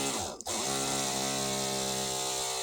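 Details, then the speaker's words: Cordless rotary tool that randomly stopped working, fully charged: with motor wired to one terminal it whines steady but low and weak, "half dead", versus stronger higher pitch on another connection; owner suspects poor battery/terminal connection, unconfirmed. "That sounds like it's half dead. Whereas over here, it sounds like it's going strong."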